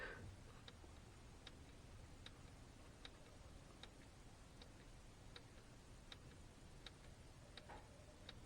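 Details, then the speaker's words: 1991-96 Ford Escort LX/GT automatic transmission shift solenoid on a homemade 12 V momentary-switch tester: crisp, light clicks about every three-quarters second as the solenoid opens and closes normally. "And I'm going to put y'all down here. Let's see if y'all can hear that solenoid clicking."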